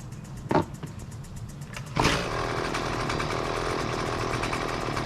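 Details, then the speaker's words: Husqvarna two-stroke weed wacker, about 20cc, gas-oil mix: a couple of sharp pulls, then it catches and runs rough and uneven, stalling at idle or on quick throttle; lean low-speed mixture, needs the low-speed screw opened. "le if you let it running and just idling it eventually will stall out and also when it is idling and you hit the gas with the trigger if you hit it too quickly it will stall out so that suggests that the low speed screw on the carburetor needs to be adjusted"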